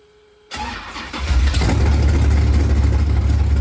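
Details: Freshly installed 410 LT1 (4" Callies Magnum crank, M&M-ported AFR 210 heads, mild hydraulic cam) in Pontiac Formula, no exhaust system yet: brief crank, quick catch, strong, even idle, running on all eight; rockers/pistons hard to judge; normal idle.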